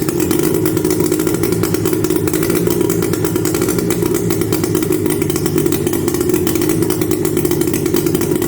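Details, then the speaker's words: 1977 Polaris Colt 250 two-stroke snowmobile, first start on full choke after about 18 years sitting: uneven, stumbling popping at fast idle; rough running, owner suspects the points cam was installed the wrong way and plans to pull the flywheel. "B it runs uh except I'm not sure it should run quite like that"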